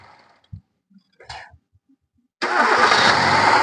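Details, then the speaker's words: Hyundai i10 petrol engine after fixing misfire and low pickup caused by oil-fouled spark plugs (oil on plugs, 3rd and 4th cylinders, valve cover packing replaced): starts at once and settles to a steady, even idle with no vibration or stumble. "Engine vibration പൂർണമായിട്ടും പോയിട്ടുണ്ട് okay of ചെയ്തോ അപ്പൊ നമ്മൾ വണ്ടി start ചെയ്യുമ്പോൾ വൈബ്രേഷനോ കാര്യങ്ങളോ ഒന്നും ഇല്ല"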